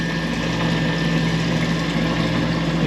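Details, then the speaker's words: Manitowoc ice machine, freeze cycle: water pump runs with a continuous even hum and trickling water, but water flows out the bottom instead of over the evaporator grid, causing long freeze cycles; tampering by a previous tech suspected. "it's just coming out the bottom there. See that? [Music] It's not coming over the grid."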